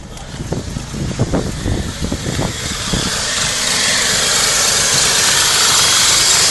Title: BMW E46 316i (1999) M43 Engine Possible Vacuum Leak